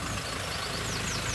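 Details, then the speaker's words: Ford Ranger 2.2 TDCi diesel, repaired, left running: low, even idle with soft steady combustion beats, nothing knocking or rattling; very quiet, normal idle. "I've left it running, and as you can hear, it's so quiet now."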